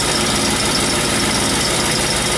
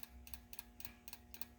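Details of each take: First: 1991 Mustang GT at idle with the mid pipe not fully bolted up; loud, raw note with a sharp ticking puff, severe exhaust leak on one side, apparently at the header flange where it meets the head pipe. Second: 1991 Mustang GT with rebuilt injectors, injector pulsed directly from a battery: crisp, even paired clicks about every quarter second as the injector snaps open and shut; normal injector operation.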